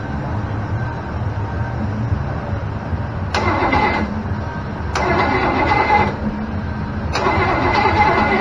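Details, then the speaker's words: Small block Chevy 327 on engine run stand, stored 15 years with fogging oil, after fighting a bad starter: three smooth even cranking bursts without grinding; starter now sounds way better. "Sounds better. Sounds way better."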